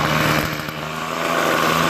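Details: Toro 51976 25cc two-stroke straight-shaft gas trimmer after gas line, recoil starter and trimmer head repair; warming up, choke partly off, high throttle: steady high buzzing drone without stumbling or surging; running cleanly, normal.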